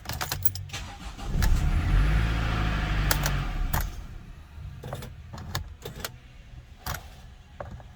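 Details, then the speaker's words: Early Mercedes Sprinter (2007–2018 range), intermittent no-start from a faulty electronic steering lock (ESL) that sometimes doesn't release: several short cranking bursts with clicks, then the engine catches and settles. "so this is a problem with the ESL and I'll show you that now you see how I don't know if you can hear that noise but that noise means that sometimes the staring lock doesn't release"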